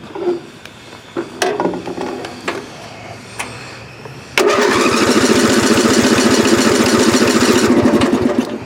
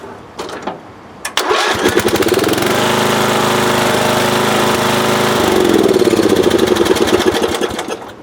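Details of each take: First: Circa 1982–83 lawn tractor, about 35 years old, hot after driving around the house: a few clicks, then steady cranking about four strokes a second without firing; hot engine won't start. Owner suspects the ignition coil, not confirmed. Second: Lawn tractor from about 1982–83 that wouldn't restart when hot, after a new ignition coil was fitted and the engine had cooled slightly. A brief crank catches at once and settles to a steady single-cylinder run, a normal start.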